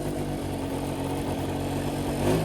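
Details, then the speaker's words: 1983 Honda Aero 50 two-stroke scooter at 4,393 miles, fresh transmission oil, original rear wheel refitted, test ride: even, steady buzz with constant pitch, earlier knocking gone; normal running, though a minor weird noise possibly from CVT cover remains. "Feels like a completely normal scoot now. No more knocking noise."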